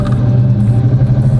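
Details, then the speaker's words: 1984 Chevrolet Caprice, carbureted, on light throttle: steady low drone reaching about 25 then dropping back to 15, not upshifting; cause found to be the carburetor's pop-off spring controlling fuel flow. "but then it'll drop right back down to 15 and it won't get no go no fast"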